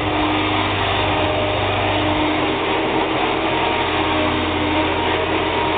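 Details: Hoover WindTunnel vacuum cleaner running with a steady, even motor drone, constant pitch and no rattles; it runs fine, though the owner feels the motor sounds like it may go bad.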